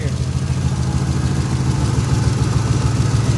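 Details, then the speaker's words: 1980 Chevy K10 just after startup, following transmission line replacement: deep, steady low rumble, even pulse, no ticks or knocks; smooth, healthy idle, easy cranking, coolant slightly low. "this thing uh cranks up better than some fuel injected vehicles i think let's hear it listen to that easy peasy"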